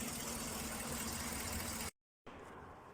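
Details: Chevy Tahoe/Suburban V8 idling with an uneven, lumpy beat, a missing pulse breaking its rhythm, from a misfire on cylinder 6 with code P0300.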